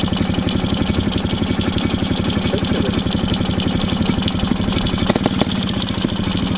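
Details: Homemade tractor with ČZ 175 two-stroke engine, first runs after 25 years standing, after refitting a crooked throttle slide that had held it at full throttle: crisp regular popping about four beats a second, steady idle; normal idle.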